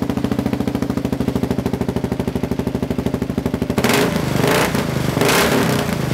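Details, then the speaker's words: KLR650 with newly installed Two Brothers slip-on exhaust and mid-pipe, idling while standing still: even single-cylinder thump, then sharp irregular pops and crackles out the pipe. Doesn't occur while riding; owner thinks fueling needs tuning with a jet kit. "It's backfiring a little bit when it's sitting still, but it doesn't do that at all when you're driving it. So I think it still needs a little bit of a tune."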